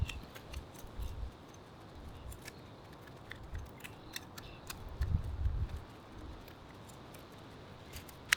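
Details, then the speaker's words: Mom's manual hedge shears after fixing and sharpening, tested outside: sharp, crisp snips about every second over light wind, blades closing cleanly and contacting along their whole length without dragging; shears cutting cleanly. "It sounds like it's making contact all the way along. It's super sharp."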